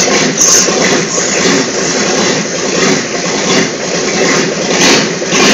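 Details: Freshly rebuilt Volvo Penta AQAD40B marine diesel, 165 hp, with new glow plugs, first start in the shop: even, steady diesel clatter at constant speed with no knocks or misses; runs smoothly.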